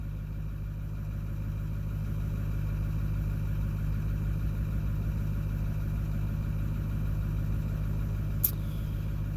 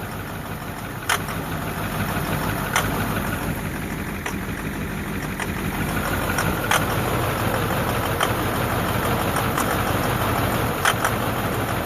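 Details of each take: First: 2009 Ford F250 6.4 Powerstroke diesel after number 7 injector replacement, cold high idle at 760 rpm, coolant 59°F, about 40°F outside: steady even diesel clatter, no cylinder 7 misfires; running evenly, slightly rough. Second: 2009 Ford F250 6.4 Powerstroke diesel, cold start: rough idle with uneven knocks and stumbles, loping and skipping, smoke reeking of fuel; misfire traced to faulty number 7 injector, before replacement.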